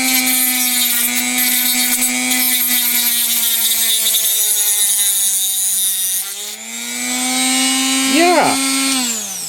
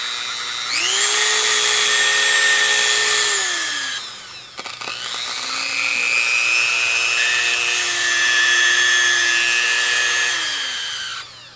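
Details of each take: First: Chinese replacement rotary tool with a Dremel grinding bit cutting a groove in a metal computer slot cover at ramped-up speed, with sparks. A steady high whine holds pitch through the cut and climbs smoothly, with no bogging. Normal cutting under load. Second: Worn-out Dremel rotary tool, motor brushes suspected worn (new brushes didn't work, old ones reinstalled): high-pitched motor whine that wavers in pitch with a gritty edge; sounds like bad bearings, sticky and not working right.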